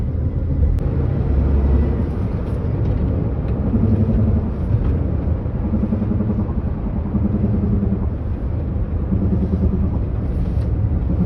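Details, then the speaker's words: Maruti Alto K10: low steady growl rising and falling with road speed, louder when steering left and seeming to come from the left side, but the fault is the right-side wheel bearing. "ഈ left ഭാഗത്തുനിന്നായിട്ട് ഒരു കുറു കുറു കുറു കുറുന്ന് പറഞ്ഞ് ഭയങ്കര sound പക്ഷേ അത് ബെയറിങ്ങിന്റെ sound ആണ് വേറെ complaint ഒന്നുമല്ല"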